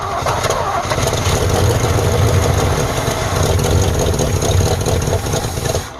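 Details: Abandoned 1948 Ford F5 bus, first start after sitting 25 years: big engine chugs at a lumpy, uneven idle with a deep low rumble, smoky; carburetor needs rebuild, linkages and throttle linkage not hooked up, needs tune-up.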